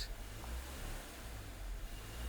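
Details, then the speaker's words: Nissan N16 with QG16 engine, manual, in neutral, coolant above 70, loads off, after a failed idle air volume relearn: steady low idle rumble with slight rises and dips; hunting idle from tampered IAC wiring and a burned ECM. "Still engine is in the same condition, that surge idling condition. So definitely there should have something wrong."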